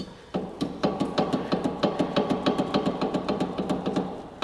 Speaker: we've seen cases where one of these or both fall out and they'll end up in the oil pan and here's what ends up happening you'll have a very strange knocking sounds that sounds like